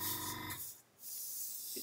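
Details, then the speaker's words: Airbrush compressor air line: steady airy hiss fades then returns after a short gap; air leaking at the line, probably a failed seal in the quick-release fitting. "okay this one's leaking which is why you can hear it coming you can hear it"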